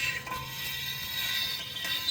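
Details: Chevrolet Corvette front left wheel: fast, raspy ratcheting scrape as the wheel turns, very loud at speed, from a chip of hickory nut hull trapped between the dust shield and the brake rotor.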